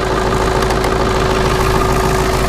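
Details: Ford 7.3 Powerstroke OBS diesel without intercooling, needing two glow plug cycles, extra blow-by; loud uneven clatter with slightly lumpy idle beat, rough idle from worn injectors.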